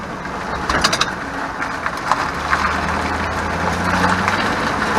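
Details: 2001 Chevrolet Silverado 1500 driving: loose metallic rattles over road and engine drone when rear tires hit bumps, worsening over time, less in reverse, not when parked; parking brake (e-brake) rattle, solved.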